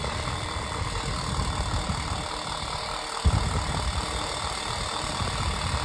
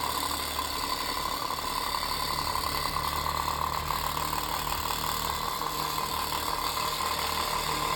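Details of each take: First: Unbranded 7-inch desk fan with rattling bearings, just oiled: fast, steady whoosh of air with an even tone, loud, no squeal or scraping; normal fan running. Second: Unbranded antique 7-inch desk fan; loud steady whirring rattle with constant mid-pitched hum, speed varying fast and slow; unbalanced fan blades and worn shaft bearing.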